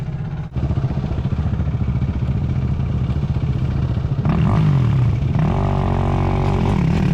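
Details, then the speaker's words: Quad with suspected bad transmission/first gear: rough irregular metallic clanking over the engine, growing louder pulling away under load; rider suspects the front sprocket/chain, cause not confirmed. "Yeah, it got worse. Yeah, louder. I can hear it right here. Yeah, it's the front sprocket."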